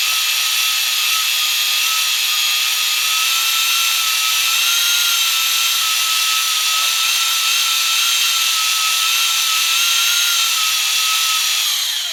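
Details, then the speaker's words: Fresh Ford 300 straight six for a 1954 International R100, before first start, oil pump primed with a drill in the oil pump drive: steady high drill whine over hiss, sagging slightly as it loads; normal oil pump priming. "Now, if we want to get really fancy, we could have an oil pressure gauge hooked up to it, but you can tell when you start spinning, then it kind of bogs down a bit, then you know you're pushing oil pressure through the engine."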